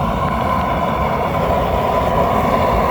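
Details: Rebuilt kiln gas burners with regulator raised to 9 during a night test run: steady, forceful rushing roar with no sputter or popping; burners burning evenly at high gas pressure.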